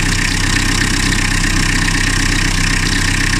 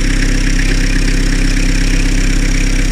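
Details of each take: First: Car whose engine was rebuilt 2–3 years ago after overheating, idling: a steady clatter with a fast high bird-like chirp about four times a second, like a bearing. Suspected slipping auxiliary belt. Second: Diesel car rebuilt 2-3 years ago after overheating (pistons and cylinder head replaced), after a new drive belt: even, steady idle with a smooth low rhythm and no chirp or squeak; the belt noise is gone.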